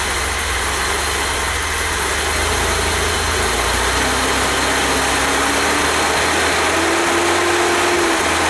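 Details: 1988 BMW E32 735iL with rebuilt M30 B35 straight-six, first start after the rebuild (fuel pump primed; original block had 395k): smooth, even six-cylinder idle with a low hum, no knocks or misses; normal idle.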